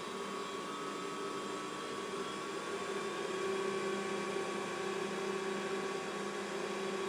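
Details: Mikini 1610L mill spindle, 2 hp AC inverter-duty motor on a Hitachi sensorless vector VFD, sped up toward full: steady even hum with clean high tone, no throb or pulsing; running smoothly.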